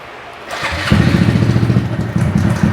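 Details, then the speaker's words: 2020 Honda Grom after a clutch basket swap. The small single settles into a lumpy idle with a light, quick tic-tac ticking rattle on top: a noisy timing chain. "Now, the timing chain is a little noisy in this thing."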